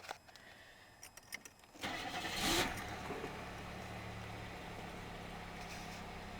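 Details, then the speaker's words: 1995 Chevrolet Monte Carlo started from cold with the door open; starter whirs, the engine catches, and a brief shrill belt squeak rides over the first revs before settling to idle. The squeak has been there a while. Squeal at cold start. "does have a bit of a belt squeak it's done that for a while"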